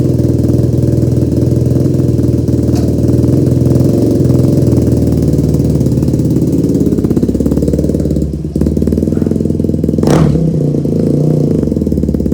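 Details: Rebuilt Yamaha YFZ450 quad, first ride with no choke: the loud single-cylinder runs lumpy and uneven and stumbles midway. The owner suspected jetting and planned to pull the carb and rejet, then found the fuel petcock was never turned on.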